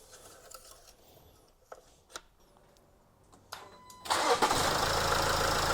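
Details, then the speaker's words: Land Rover Discovery Sport Ingenium diesel right after engine oil and filter change: after quiet lead-in, fires promptly and holds smooth steady idle; sounds alright; normal start and idle. "Sounds good. Alright, got to turn it off for now then. Good. Sounds alright, doesn't it?"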